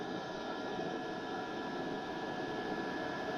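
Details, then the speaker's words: Diesel heater after mains power removed, running on backup battery at about 12.5 volts, still full heat: steady even roar with constant fan tone, no surging or sputtering; burning smoothly on battery. "12 1/2 volts still getting plenty of heat we can probably turn it on down a little"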